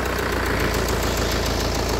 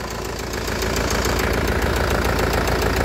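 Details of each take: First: Kia Carnival diesel after engine overhaul, just started cold. Steady idle with light even tapping from all 16 weak hydraulic lash adjusters, no heavy knock; ticking smooths out when warm; liners are scored, slight blow-by. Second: Kia Carnival after repair, warm idle: cold start slightly unbalanced with ticking from scored liners and 16 weak hydraulic lash adjusters, but once hot the engine is very smooth; steady even idle with soft regular pulse, no misses.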